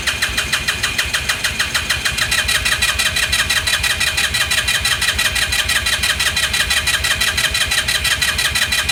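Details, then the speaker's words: 2018 Lance Cali Classic 125cc scooter, found not running with mice in the airbox, cranking on a lithium jump pack; starter churns at about three compression pulses a second for nine seconds, only puffs, never fires. Carburetor to be cleaned. "puffing well that's it's not the best well we knew that was wishful thinking anyways"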